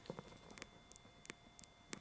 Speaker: and press it. Hear that ticking? So that one's working.